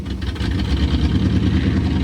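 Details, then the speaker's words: '65 AMC Ambassador running off its own tank after revival, no muffler, restarted with a little choke after stalling: smooth, even idle with soft steady purr and pops, no misses or knocks; sounds healthy. "Needs a muffler, but it does sound pretty cool though. Oh, she died. Start her up again. Maybe choke a little. Yeah. There you go. Yeah, listen to this thing. Oh. Oh. There you go. Pop, pop. Listen to the baby purr. Beautiful."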